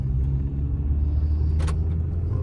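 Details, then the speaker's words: 2003 Mini Cooper S 6-speed on a test drive after replacing both front CV axles (the driver's side had been noisy). Steady low road rumble on a smooth drive, with no clicking or knocking; the axles sound healthy. "And see if I hear any, well, no clicking at all. Nice and smooth."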